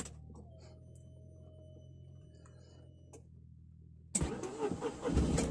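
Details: Tata Nano cold start in rainy weather: quiet spell, then engine catches quickly and settles into a raised, slightly uneven fast idle. A subscriber reports a loud sound at cold start that becomes proper after about 2 minutes; here it sounds like a normal cold start.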